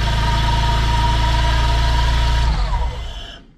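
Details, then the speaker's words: Honda S2000 with a freshly rebuilt F20C2, first start on the third crank: uneven, lumpy firing, not running on all four cylinders (a misfire), then it shuts off. "Third crank, it goes on. That was pretty quick. Yeah, but it's not on four cylinders. Yeah, I can hear it's misfiring a bit, yeah."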